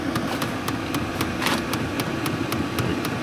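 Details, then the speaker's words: Motorhome diesel heater starting up: a light, fairly even tick about four times a second over a soft steady hum, mainly heard outside; it ticks only until it reaches temperature, with no bad fan noises; normal warm-up. "It's only doing that until it gets up to temperature."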